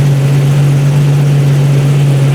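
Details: Jeep 4.0 six, in neutral, with a newly installed AX15 transmission and transfer case removed, idling to warm up after sitting. A loud, steady low drone holds one even pitch without misses, knocks or rattles: normal idle.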